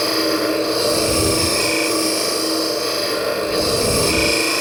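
A steady rasping hiss of a scraper shaving a spinning bowl, even and free of chatter.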